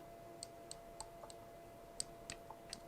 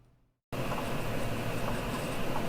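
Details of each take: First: Used 7-inch FPV quadcopter, frame arms wiggled by hand: faint, sharp, irregular ticks about three or four a second from front right and rear right arms; owner suspects loose arms just needing tightening, not confirmed. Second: Brother Hobby Avenger 1806.5 1300 KV motor on a used 7-inch FPV quad, spun by hand: quiet, even whir with no crunch or grit as it spins down; smooth, healthy motor bearings.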